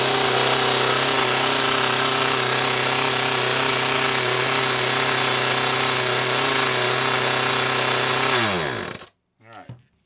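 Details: Homelite Waterbug P100 water pump, test run primed with water: steady, high two-stroke buzz at an even pitch at governed full throttle, then winding down smoothly at shutoff. Normal running.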